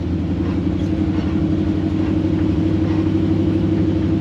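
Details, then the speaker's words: 1954 Chevy pickup with a replacement T5 transmission after the previous one failed, driven in fifth gear at about 60 mph. Steady engine drone and road rumble with no whine, clunk or grinding; normal transmission operation. "we're in fifth gear now doing about 60 M an hour we got no noise so I'm going to take that as a win"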